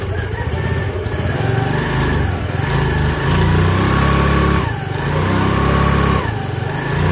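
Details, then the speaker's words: Yamaha Mio Fino scooter after fitting a new MRP Racing Spirit clutch bell to replace a burnt one: revs smoothly with an even low drone rising and falling with throttle, no clutch-side rattle or scrape; CVT now normal, though carb still slightly misfiring. "Yan po. Okay na po siya."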